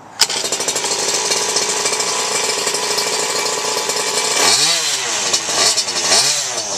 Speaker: Runs fine. Actually runs really good.